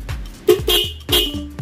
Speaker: oh mantap sekali banget kencang sekali mungkin kalau di video itu kurang terlalu kencang namun Disini sangat kencang